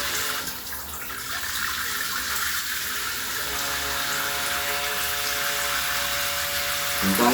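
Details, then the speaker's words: Lorenzetti Belo Banho Ultra electric shower with new comb-style heating element: water rushes steadily and even humming tones rise over it when the water is turned on, under low water pressure; owner suspects water flow vibrating internally. "quando eu ligo água ele faz um barulho estranho é como se fosse um hábito"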